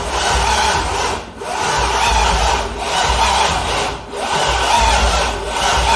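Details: C6 Corvette with a junkyard engine on a Holley Terminator X, first start attempt: long, laboured cranking pulses about every 1.5 s with no firing. Voltage drops from 12 to 10 V while cranking; owner suspects a weak battery. Crank no-start.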